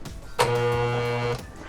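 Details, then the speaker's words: Portable car tire air compressor that quit working, run on a charger: about a second of steady electrical buzz with no pumping beat; motor stalled drawing over 15 amps, something jammed, cylinder suspected. "It's drawing over 15 amps. So something's jammed and binding in there. I would imagine it may be the cylinder or something went really bad."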